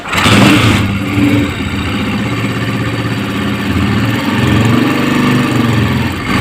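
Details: Honda CG 125 after fixing an oil pump fault and refitting parts: single-cylinder engine fires into an even idle and blips cleanly with no knocks or misses; oil pump now circulating properly.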